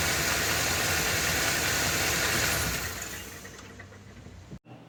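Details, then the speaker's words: Ford F-250 with 7.3 L Godzilla gasoline engine on a hot day. The serpentine belt has been removed per a TSB, and light load is applied. A harsh, rough clatter persists with the belt-driven accessories off, pointing to an internal engine knock. The engine is to be replaced. "then he found the TSB where you take off the uh serpentine belt and to see if the noise is still there so this is the video clip of him doing that the noise is still present"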